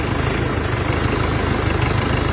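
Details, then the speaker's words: UTB tractor with a rebuilt engine, fourth gear with the range reducer in high: deep, even diesel rumble with a steady low throb and no grinding or whine; reducer, rebuilt with new bearings, shaft, seals and planetary gears, sounds healthy. "Salut colegule, uite îți fac un video acum să vezi cum se aude reductorul la mine. Îi dăm cu a patra, reductorul fiind pe mare, da?"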